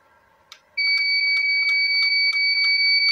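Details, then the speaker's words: Visatec Logos 1600 (600 W) Swiss monoblock studio flash at highest power refuses to fire after power-up, giving only a piercing steady high tone with sharp pulses about twice a second; error A2 alarm, suspected from unstable mains, age, rapid firing, high power or dirt shorting circuits. "Ya, dia nggak mau nembak tuh teman-teman ya, hanya bunyi-bunyi. Bunyi-bunyi aja. Nah, itu dia teman-teman ya. A2. Jadi flash ini mengalami error A2."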